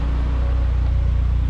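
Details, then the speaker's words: Saab 9-3 convertible with suspected oil-light issue in extreme heat, warm after a full day's commute at about 85°F with AC running: smooth even low rumble, no knocks or ticks; normal warm idle. "here is the engine running we commuted with it all day it's about 85 degrees obviously the ac is running it sounds really good obviously it sounds normal"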